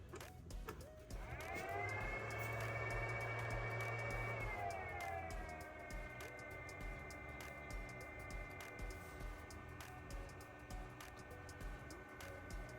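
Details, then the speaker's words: HP ProCurve 2610-24 PoE switch with stock fans: at power-on the fans spool up to a loud, shrill whine then settle into a steady, high-pitched drone; excessively noisy fans, to be replaced with Noctua fans. "I'm going to be working on my HP Pro curve Poe switch today it has some very noisy fans I'm going to replace uh or I'm going to try to replace anyway"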